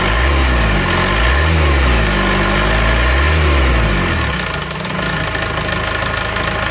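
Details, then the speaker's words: Isuzu Panther diesel after the injection pump was turned fully back to offset a regulating valve seated too deep: idle is now even and fairly smooth with a soft knock, no harsh rattle, and normal exhaust smoke. "Nah, ini agak halus ya ini suaranya sekarang. Tidak terlalu garang."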